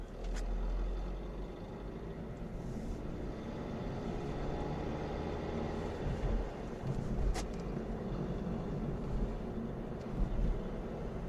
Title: Astra K 1.6 CDTI Timing Chain rattle